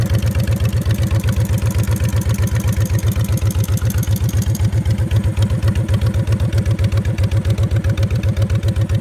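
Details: 2006 Honda VTX 1300C V-twin at even idle, about four thumps a second, with an intermittent light crisp tick on top; cause of the tick unknown.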